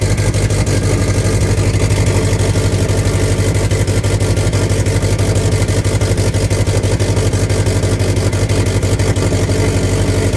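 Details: 2008 Subaru STI on a cold start only: the petrol engine idles roughly with a deep, uneven lope pulsing about three times a second; the cause is still being diagnosed.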